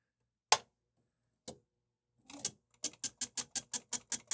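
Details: DECwriter II print head after repair: a few isolated clicks, then a quick even train of sharp ticks about five per second as the pins fire and return cleanly.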